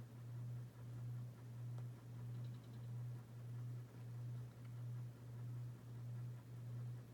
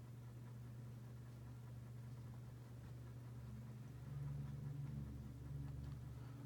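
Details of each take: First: Dynasty 52-inch hugger ceiling fan CF-HA52 from January 1988 on medium speed, its worst of three speeds for wobble and hum. Low hum swells and dips about 1.5 times a second. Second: Dynasty 52-inch hugger ceiling fan, model CF-HA52, from January 1988, on low speed. Steady low, even hum with no ticking or rubbing; moves a decent amount of air. Normal running.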